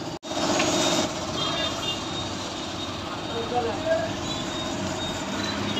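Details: Yamaha (version 3) motorcycle after a sound problem repair and brake pedal bucket replacement. A steady, even engine note with no knocks or rattles, just a smooth running beat; it sounds healthy.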